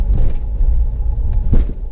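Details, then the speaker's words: Mahindra XUV500 6-speed manual gearbox after complete overhaul (clutch already replaced), pulling in gear: steady low engine drone, no knocking or clunking; the former "hak hak" noise from the gearbox when pulling in second gear no longer occurs. "पहले क्या होता था जब हम पहले गाड़ी gear डाल के खीच करके एक साउंड आता था गियर बॉक्स यहां से अब वो साउंड नहीं आ रहा है"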